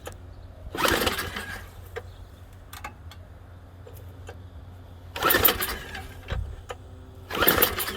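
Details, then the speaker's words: Junk MTD snow thrower with a mouse nest under the top, a little oil and fuel that doesn't smell bad: three pull-cord yanks give brief whirring spins but it never fires; cranks, no start. "Does it have the pet clock? It does. Let's try that. Nah. Nope. It's a no-go."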